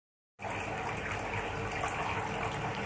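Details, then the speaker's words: Aquarium filter heard at night, which the owner says is very loud, like a waterfall; a loud, steady rush of falling water with no pause or gurgle, running normally, just noisy. "สวัสดีครับคือตอนนี้ก็กำลังจะนอนแล้วให้ฟังเสียงน้ำไหลนะไม่ใช่มันไหลเป็นน้ำจากตู้ปลาเป็นน้ำจากตู้ปลาซึ่งมันจะเหมือนเราอยู่ในน้ำตกเจ็ดสาวน้อยหรือน้ำตกไซโยกประมาณนี้นะเพื่อนๆจริงๆมันดังอ่ะ"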